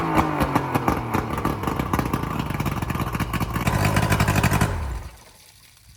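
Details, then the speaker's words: Boat outboard motor started after sitting about a couple of months: steady even beat with clean firing, no misses or knocks, then shuts down; motor ran good. "All right, so the motor ran good."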